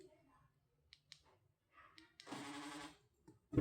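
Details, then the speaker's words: 2008 Honda CR-V power door lock after the noisy actuator was disassembled and repaired; unlocking gives a short, smooth motor whirr and one clean thunk with no grinding, noise resolved. "Abriu. Essa não tá mais fazendo barulho. Essa resolveu."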